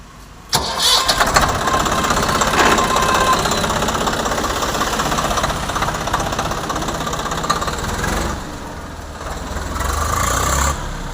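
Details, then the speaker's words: Swaraj 744 FE tractor after gearbox repair with new parts for an all-gears noise: starts, fires and runs steadily with no whine or gear clatter; all gears checked on road trial, no sound, healthy. "బాగుందా ఆ బాగుంది అన్ని గేర్లు check చేసినావా ఏం sound ఏం లేదు right"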